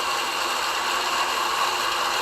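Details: Air conditioner outdoor unit with the base pan deliberately filled with water until overflowing; steady loud hissing splash over the fan whir as the slinger ring flings the pooled water through the condenser coil.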